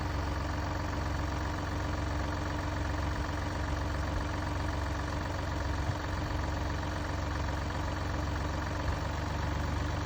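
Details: Mini Cooper D three-cylinder diesel idling: loose, uneven low rattle underneath, roughly seventy beats a minute and steady throughout, from a broken dual mass flywheel, which holds the clutch springs and fails through wear and tear.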